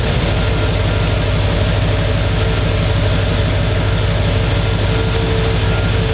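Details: 1968 Chevy C10 shop truck with newly swapped Chevrolet Performance 350 crate V8 (333 hp): steady low rumble, even lope about three pulses per second, no tapping or misses; healthy idle.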